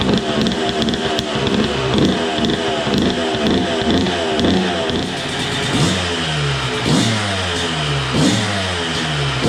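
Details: Suzuki RM125 two-stroke first run after full rebuild, new spark plug, smoky from assembly oil: crisp blipping, revs rising and falling cleanly with no misfire or rattle. Engine running normally.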